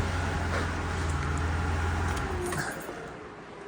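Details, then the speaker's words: 2001 Chevy Impala 3.8, at full operating temperature but gauge reading cold: steady low whooshing hum with idle beneath, cooling fans running constantly because of a failed coolant temperature sensor; car likely in limp mode. "so like I said the car is at full operating Temp and as you can tell it is completely um cold and [Applause] you can hear the fans are running"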